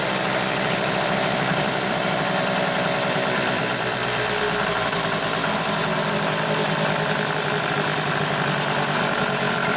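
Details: Hangkai 6.0 outboard after repair of a noise under the flywheel from a disintegrated bearing, head removed and cleaned: steady, even buzz with no knock or tapping throughout; normal running.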